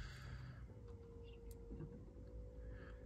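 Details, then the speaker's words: Dacia/Renault Sandero-Logan during fuel filter change, key on, engine off: faint steady electric hum about a second as the fuel pump primes; normal. "that's a pump there not sure if you can hear that properly but that's the pump going on doing this job there"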